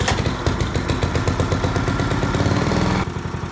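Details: Old tiller engine running after a new ignition coil replaced the faulty points (no-spark repair): a steady, even popping beat with no misses or stalling. It runs cleanly.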